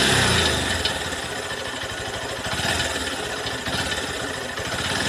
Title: Engine complaint and abnormal sound in new Honda cb200x bike